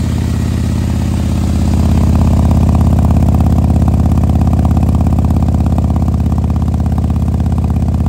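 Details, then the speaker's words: 2020 Harley-Davidson Road Glide with 130-inch T-Man Performance engine, fresh build idling cold to warm up so the pistons expand before revving: big V-twin lope, steady even beat about 200 pulses a minute, settling smoothly; normal warm-up idle. "with these things when you fire these up you gotta let them warm up you can't just go rev him up and beat on him right pistons have to expand"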